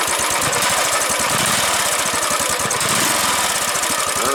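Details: Start and idle after the dealership issues were resolved: the engine catches and settles into a steady, even idle with regular firing pulses under some hiss, sounding healthy and smooth.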